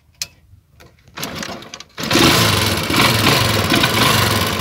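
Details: Motorcycle with a hidden anti-theft switch spliced into a cut wire: with the switch on, a few clicks, then the engine catches at about two seconds and keeps running at a steady pace; runs normally.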